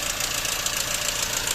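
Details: Toyota 1GD-FTV diesel at idle: fast, hard metallic chatter from the front of the engine, a common 1GD worn, slack timing chain rattle, fixed by replacing the timing chain kit.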